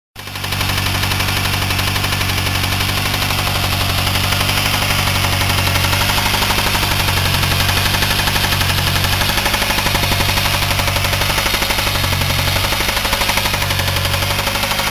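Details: Lightly modified 1G Talon/Eclipse DSM 4G63 turbo, factory 6-bolt, idling with severe rod knock, a heavy steady knock about four per second; failed rod bearing, oil smelled of gasoline, bad tune suspected; turbo bearings destroyed by metal.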